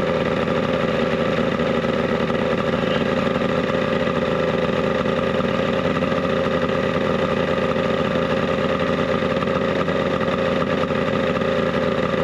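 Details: 70HP two-stroke Mercury outboard on a 1967 Duo boat, first start before impeller replacement, running slightly warm: steady, even buzzing run with no misses or surging; sounds healthy.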